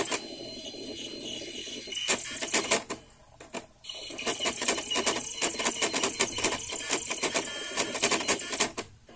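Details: Laptop CD-ROM drive, Kyushu Matsushita UJDA150L made September 1998, for a Micron TransPort Trek 2 AGP laptop, whirs high and clatters loudly in rapid uneven bursts like a printer.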